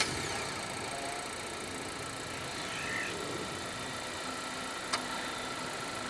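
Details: Malaysian-spec 2023 Honda Accord 1.5 TC-P, 1.5-litre L15BH turbo petrol inline-four, CVT: remote engine start, then steady even idle hum with no knocks, misses or whine; healthy.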